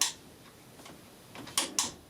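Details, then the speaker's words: Warburton Franki WF 2 E time switch, cleaned, with the motor turned off so the clockwork escapement runs the mechanism as on power failure; light, crisp ticks a fraction of a second apart: normal escapement ticking. "now i turn it off and actually the escapement goes so this is a type of timer switch where it uses a motor all the time to run the mechanism then the escapement runs the uh onesie um the clockwork when the power fails so it works good"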